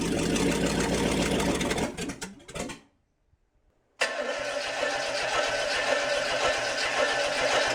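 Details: International 345 V8 at first start-up after reassembly, timing set by ear: catches, stalls briefly, restarts into a fairly steady but slightly uneven idle; rough idle, carburetor needs work.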